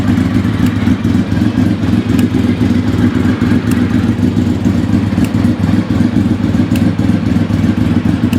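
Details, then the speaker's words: Vehicle stood about 4 years, just started easily: smooth even idle with a light irregular top-end tick of unknown cause, to be investigated; clutch also has a problem. "Hear that ticking? Something's a ticking. I'll have to see what that is."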